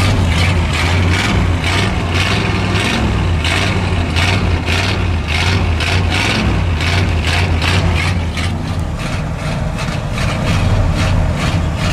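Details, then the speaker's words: Cold start in sub-zero weather with snow on the ground, held at a 2,000 rpm high idle with quick throttle blips to warm it; steady deep drone, alternator charging, slight belt squeal at start; warming up normally. "He's high idle at 2,000, so, you know, I'm not hurting it. I'm just getting some heat into it."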